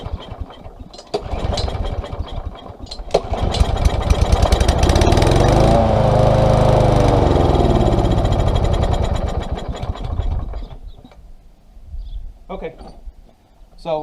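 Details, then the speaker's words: Small engine with no choke, stored with treated fuel left in it. Spark, compression and airflow are good. On starting spray it catches, revs unevenly and dies: fuel starvation, likely from a plugged carburetor jet. "the airflow is good but there's it's not getting fuel okay so that's that's pretty simple"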